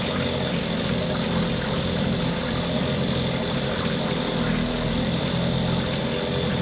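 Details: Mercury 2.5 hp two-stroke outboard after carburetor taken apart, soaked and cleaned, running in test tank; steady even buzz, no misses or surging: normal running.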